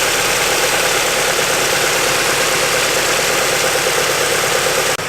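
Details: Mazda Miata with new serpentine belt after repeatedly shredding belts, belly pan off: steady, even idle with a smooth hiss, no knocks, squeals or belt chirp before shutoff; engine sounds healthy.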